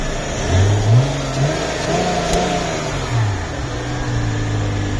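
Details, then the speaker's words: Hyundai Coupe (Tiburon) 2.7 V6 petrol, 167 hp, low km, serviced, timing replaced, 5W-30 oil, Fox exhaust. Warmed up, at the engine bay: blips from idle with a ticking sound and cooling fan whirring; normal revving. "Rugagép rendesen, úgyhogy nagyon szépen megy."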